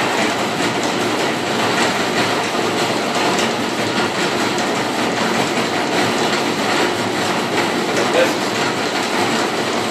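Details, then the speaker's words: 1948 Robot Appliances "Robot Operator" garage door opener on 110 V, first test: continuous even drive clatter with no grinding or stalling; keeps running rather than stopping immediately, judged normal operation. "No, it's doing what it's supposed to do."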